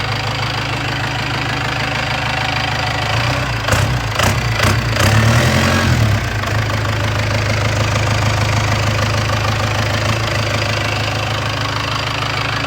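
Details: P-pump 4BT Cummins on an engine stand, about 98,000 miles, Bosch P7100 pump, HX30 turbo, upgraded manifold, intercooler and radiator hooked up: steady, even diesel clatter at idle with a short rev, settling smoothly. Normal idle.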